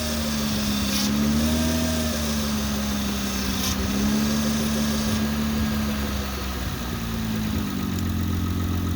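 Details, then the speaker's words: Honda/Acura V6 (2003–09) after the power-steering whine fix, a new O-ring on the pump inlet tube and Honda genuine fluid: an even idle with a soft hum shifting slightly as the wheel turns; no pump whine, the steering pump sounds healthy. "And then we're going to start up the car. We're going to turn the wheel back and forth a couple times to make sure it's good, and that'll be that."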